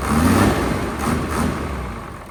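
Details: Hino J08C truck, inline-pump 210 hp diesel, parked unused two years, started easily; steady low rumble with an even beat, no knocks or rattles, idling cleanly; engine judged still good.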